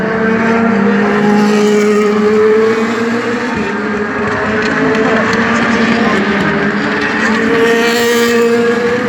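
Race V8 running hard with a ragged, hesitant firing rhythm and unsteady tone, not a smooth bark; a misfire, cause not known.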